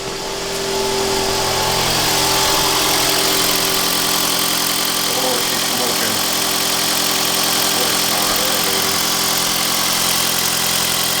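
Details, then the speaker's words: 2009 Toyota Camry Hybrid (codes P0A0F, P3190) after catalytic converter replacement with Magnaflow exhaust: even steady idle with soft hiss, no ticking or puffing at pipe; quiet exhaust, no leaks. "listen to this magnaflow exhaust baby wait for it wait for it [Music] oh quiet"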